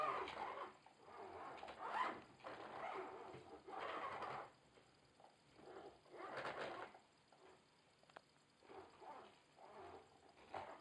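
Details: Logitech Driving Force GT wheel, second unit (first returned for the same noise), game sound off, at the demo's maximum force feedback strength: irregular buzzing, fluttery rattle bursts about every two seconds as the motor pulses; something inside seems loose, unconfirmed.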